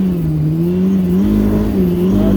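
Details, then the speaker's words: Yamaha RX1 snowmobile on test ride after cleaning ignition coil rust, with known clutch rattle: steady mid-pitched drone rising with throttle, uneven stumbles; misfire persists, gummed carburetor suspected next. "okay so I went for a test ride and it still got that misfire even with my lader up coil"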